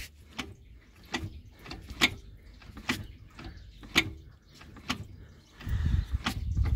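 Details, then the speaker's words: Fiat Multipla, drivetrain rocked by hand, control arm bushings and transmission mount already new, clutch replaced: irregular sharp knocks about one a second; owner suspected drive shaft, then play seen at rear engine mount; clunk. "also ich habe Antriebswelle im Verdacht so viel Spiele ist ja okay ein bisschen hört ihr das dieses Geräusch meine ich"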